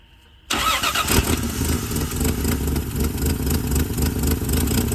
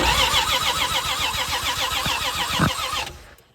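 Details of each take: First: 1978 Plymouth Volare wagon revived after four years in a junkyard: catches after brief crank, runs fast, light and even like a sewing machine, then dies with no gas in it; stalling from fuel starvation. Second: 1978 Plymouth Volare wagon that sat in a junkyard for 4 years, after a bad ground in the ignition wiring was fixed: steady, even starter cranking at about 3.5 turns per second with no firing.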